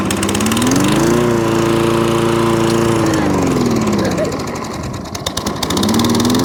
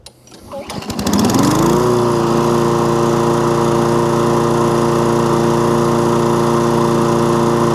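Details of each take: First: Toro Recycler lawnmower started on choke with the dead-man bail held: engine note swings up, holds, sags almost to stalling, then recovers; hunting, surging and cutting out, traced to a partly blocked carburettor main jet. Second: Toro Recycler lawnmower with an intermittent fault, restarted: brief crank, revs up, then settles to a smooth, even hum with no surging or dropouts; fault not showing, normal running.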